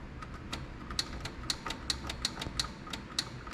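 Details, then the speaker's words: Craftsman riding mower with a Kohler Command 16.5 hp engine, on a jumper pack with the seat switch disabled: sharp dry clicks nearly three a second on turning the key, with no cranking; the starter was reported not working. "You can hear it clicking. Then we got nothing when we turn the key."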